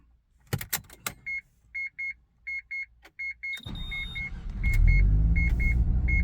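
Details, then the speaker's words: Stock Mazda FD RX7 rotary, dead cold start after replacing the double throttle system vacuum line and check valve: door chime, then engine fires and settles into a steady cold idle with no oscillation. "valve cold start everything works as it should now so I'm super happy"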